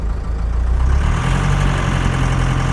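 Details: 1984 Chevy K5 Blazer CUCV with Cummins 4BT four-cylinder diesel after compound turbo and full exhaust install: steady, even low rumble, no knocks or misses, smooth, much quieter idle; healthy.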